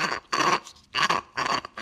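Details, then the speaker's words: Minneapolis Moline A4T tractor clutch throwout bearing spun by hand during rebuild: four bursts of harsh, gritty, dry scraping squeal with nothing smooth; worn-out throwout bearing, replaced with a new one. "about that the bearing is toast so anybody you know when people say ah you do it's good just run it this is why"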